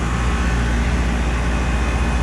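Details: 2018 Lennox Elite commercial 7.5-ton air conditioner at an office building, running in 102°F late-afternoon heat: steady deep fan roar with even compressor hum, no rattles or squeals; normal running, line very cold and sweaty.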